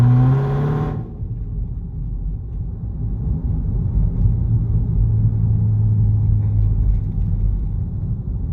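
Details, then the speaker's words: Dodge Hellcat after exhaust rattle fix and lowering springs removed: short burst at start, then pulls away with a steady, even low rumble and no rattle or buzz; no check engine light, normal exhaust. "It's no freaking rattle. Thank the Lord. And we got no check engine light."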